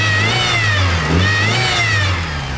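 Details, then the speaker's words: Mitsubishi Evo VIII turbo engine revved with serpentine belt on; thin whine near two kilohertz rises and falls with each blip; belt-drive whine, owner suspects a bad pulley or the water pump. "something's making noise with the serpentine belt let me show you guys so here is how it sounds now let me rev it up"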